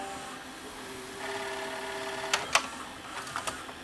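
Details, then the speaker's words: Panasonic PV-4361 VHS VCR: light even motor whirr with crisp mode-change clicks through fast-forward, search, double-speed play, rewind; transport normal, picture shake gone. "so fast-forward or our search for word works fine double speed playback works fine reverse search"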